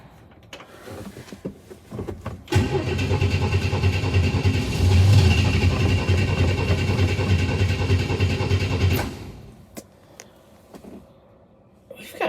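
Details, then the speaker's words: 1962 Chevy II, primed with about eight seconds of cranking: the engine catches and runs unevenly for about six seconds, then dies from fuel starvation. It runs well once the carb bowl is filled. "well maybe all right so no fire I'm assuming from no fuel let's give her the old gently"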